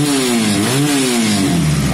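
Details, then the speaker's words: Piaggio Vespa 50cc two-stroke moped: crisp revs rising and falling smoothly with the throttle, no misses or knocks, engine running normally with no problems. "can hear that engine guys no problems at all none at all uh beautiful bike"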